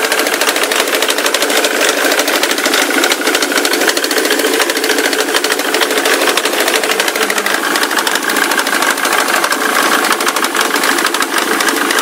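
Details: Ford Mondeo 3 turbo-diesel at idle: fast, fairly irregular light ticking knock, about three per second, over a clattery diesel idle; unclear engine knock, all sound from the left side, like a chain; engine smokes heavily and spits soot when revved.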